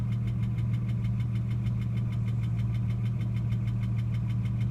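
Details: Ford AU XR6 at idle: steady hum with fast, even light tapping about three per second; noise occurs only after revving above 4000 rpm and slowly fades after about five minutes; abnormal engine noise, cause not pinned down.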